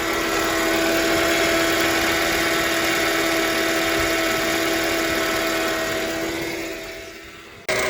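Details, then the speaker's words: Engine at idle after new water pump, alternator and belt fitted: steady high squeak with fast regular chirp, dies when engine shuts off; accessory belt squeak persists, engine silent with belt removed, source still unclear. "I hope there's no more squeak. Oh my god, this is still there."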